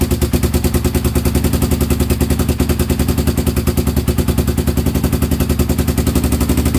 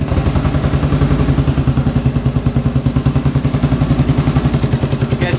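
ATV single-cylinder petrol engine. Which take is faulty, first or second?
first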